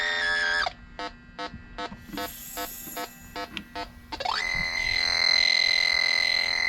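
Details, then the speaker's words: Electronic refrigerant leak detector on an aluminum coil at zero PSI: evenly spaced chirps about three a second, then a sudden shrill steady alarm tone. "that's what it does when it turns the leak hit your buttons reset it keep in mind we're on zero PSI on this coil"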